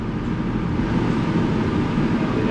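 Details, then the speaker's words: Two-pipe fan coil unit blower motor on high speed drawing 1.1 A, speeds matching amperage after repair of fan wiring giving incorrect speeds; steady even airflow rush with low hum, no rubbing or rattling, normal. "higher speed can hear the sound difference and now we got 1.1 amps so the speeds match up with the amperage"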